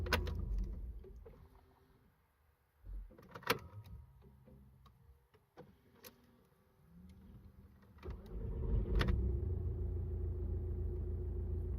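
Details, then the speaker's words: Audi A3 2.0 diesel BKD engine with hot-start problem, warm start (temperature gauge mid) after starter replacement; faint slow cranking, catches near eight seconds and settles to steady idle, cranks quicker than before, starter blamed. "he looks like he's better you don't take ages to crank like before"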